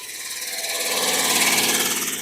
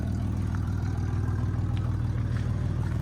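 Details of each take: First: Red Camaro pulled from a field, first start on old fuel dumped in, ignition out so started via bit driver and 10 mm socket; high raspy scraping pulsing with engine speed as the cooling fan rubs its shroud. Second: Red Camaro revived from a field, warmed up, with a hole in the muffler: low even exhaust pulsing about four beats a second, steady without stumbles; idling well.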